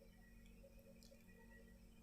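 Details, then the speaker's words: Cheap phone charger in a quiet room gives a faint steady high buzz with a light chirp while still outputting voltage and charging the phone; normal charger buzz, harmless, no fix needed. "तो दोस्तों अगर आपके चादर में आवाज आ रही है और वोल्टेज भी आ रहे हैं आपका फोन आपके रिचार्ज और है कोई प्रॉब्लम नहीं आ रही तो दोस्तों आपको कोई टेंशन लेने की जरूरत नहीं है"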